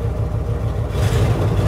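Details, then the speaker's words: Pickup truck engine after fuel pump test; previously cranked without fuel because the line had emptied, now it starts and settles into a steady, even low rumble with no stumble or misfire, fuel pump confirmed good: normal running. "Pero bueno ahora ya funcionó ya sabemos cómo este Eh ya ya diagnosticamos ya sabemos que la bomba estaba bien"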